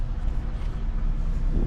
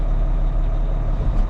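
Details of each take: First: Volvo L180G wheel loader diesel cranking: heavy low drone for several seconds without firing; display shows engine failure, fuel level sensor and ECU errors, fuel gauge dead; owner suspects low voltage or out of fuel, unconfirmed. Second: Volvo L180G wheel loader, previously showing engine failure and fuel level errors, idling after jump start and added fuel: deep steady diesel rumble, even beat, no knocks or misses; idling cleanly.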